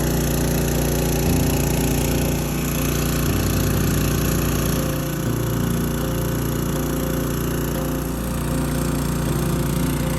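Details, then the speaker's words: Small-engine water pump rated 158 gallons a minute, timed transferring a full 275-gallon tank at an off-grid homestead: steady, even drone at constant speed with no misses or knocks; normal running under load. "I'm gonna turn it on and I'm gonna start my stopwatch. I'm gonna see how long it exactly takes with the pump that does 158 gallons a minute."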